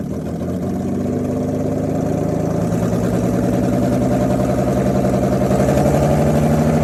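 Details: 2008 Ford Taurus X, 3.5L, automatic, front-wheel drive, started up: engine catches and settles into steady, slightly uneven rumble with faint irregular beat; bad motor, good transmission, no specific fault identified.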